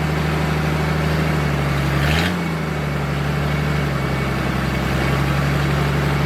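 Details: Military surplus forklift with carburetor, running after the fuel pump was bypassed and the fuel line run direct to the carburetor; steady even idle with a short rev blip that settles smoothly; it runs and drives normally.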